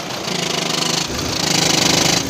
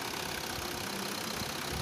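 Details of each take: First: VW Vento 1.5 TDI diesel with DSG 7-speed transmission at idle: harsh, unevenly pulsing metallic rattle, described as a very dangerous noise, from play in a failed dual-mass flywheel; flywheel replacement is the fix. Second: VW Vento 1.5 TDI diesel with DSG after flywheel replacement, about 84,385 km: steady, even diesel idle with no rattle, knock or clunk from the bellhousing. Normal idle.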